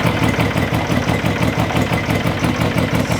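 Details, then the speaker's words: Engine at operating temperature for about five minutes after new crank sensor and cooling fans installed: deep, lumpy but even idle at about three pulses a second, no knocks or misses; owner notes it dies when revved slightly and returns to idle; normal idle. "it gotten so smooth now it's like chill and call me relax but it still sounds so mean"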